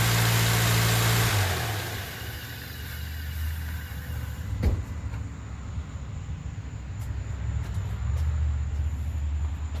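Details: 2013 Subaru Outback 2.5L idling right after fitting a new Gates serpentine belt to replace a cracked old one. Even, steady low hum with no squeal or chirp from the belt; a slight exhaust leak was noted. Normal idle.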